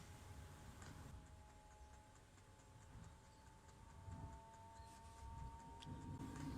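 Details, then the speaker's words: Diesel heater start-up on the bench, glow plug drawing about 10 A: faint quick fuel pump ticks, about three a second, kick in over low fan rumble, then growing exhaust roar as it lights, normal. "Just about hear that pump, that fan in the background, no pump yet. Pump's kicking in"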